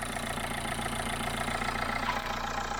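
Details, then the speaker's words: Dacia Logan after head rebuild with new head gasket, head bolts, water pump, cam belt, tensioner and thermostat, skimmed head, fresh coolant: fuel pump primes, then even smooth idle with steady hum, no knocks, ticks or misses; normal idle. "i hear the fuel pump going let's give it a go and she's running and she's running really well"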